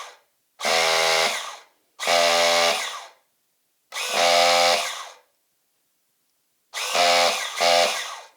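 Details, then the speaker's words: Team Associated RC10GT nitro engine on a starter box with reversed polarity, no spark plug, fuel or oil: four clean, steady motor-whine bursts about a second each turning the engine over smoothly; starter working properly. "and easy so it fits lovely on there turns over lovely there's no spark plug in it"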